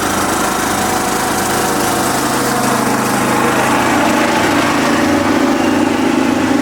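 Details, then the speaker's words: Kubota riding mower, sat years after dying with a horrible noise, runs steady with quick slightly uneven ticking about three to four per second; owner calls it a horrible lifter tick and suspects a slightly bent valve. "Well, it doesn't sound great because that valve, I'm pretty sure, is bent a little bit. But it runs, and it runs pretty good."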